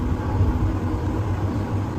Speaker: Super smooth. There's not a single noise. This means it meets the requirements. The machine runs very quietly, operates very smoothly.